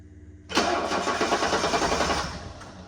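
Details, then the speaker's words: 1984 Mercedes-Benz 300SD diesel after getting fuel to the injectors, possibly glow plugs, battery charging: engine catches abruptly, runs roughly about two seconds, then quits. "seconds, and then immediately quit. So that's weird."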